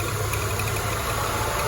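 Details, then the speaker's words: Peugeot 206, manual, when revved after brake repair: steady idle with shaky uneven low throb and buzzing rattle, body vibrating strongly; mechanic suspects the engine mounting although it is new, cause not confirmed. "Ini getarnya nih kalau digas. Tuh. Bodinya getar ya, kemungkinan dari mounting kayaknya."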